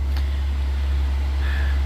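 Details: Atwood 7916-II 16,000 BTU propane furnace, 12 volt, pulled from a popup and bench tested in a garage, fired and running: a deep even rumble with a steady airflow rush and no knocks, putting out decent hot air; normal running.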